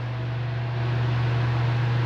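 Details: Household fan at low speed after replacing the defective run capacitor: steady, even low hum without rattle or buzzing; motor runs smooth and strong.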